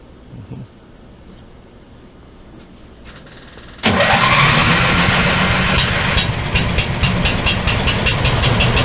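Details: Small lift engine started after repairs, with a little less choke: catches and runs loud and raspy with a sharp, steady popping crackle; the little muffler pipe on the base plate has rusted through.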